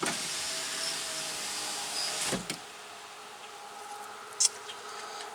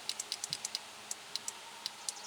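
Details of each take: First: 2005 Chevy Tahoe power window: motor hums steadily for about two seconds, then a thunk as the glass stops; window had quit due to a bad connection at the motor, not a failed motor. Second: 2005 Chevy Tahoe door power window that quit: sharp relay clicks on and off with no motor hum when the switch is pressed. The window motor gets no power through a bad connection.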